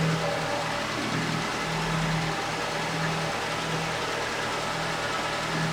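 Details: Late-90s Ford Escort 1.6 16V fuel-injected petrol, long parked, cold idle; steady, smooth mid-pitched hum with no misses, knocks or hunting, running nicely.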